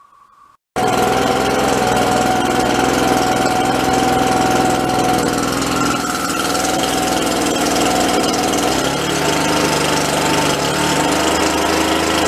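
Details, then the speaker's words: Red Max EBZ7500 commercial backpack leaf blower, two-stroke, after teardown and repair of a growing engine noise, run 5–10 minutes outside: strong, steady roar at even pitch with no misses or surging; running normally. "oh all right guys so that worked out pretty good seems like it's functioning like it should"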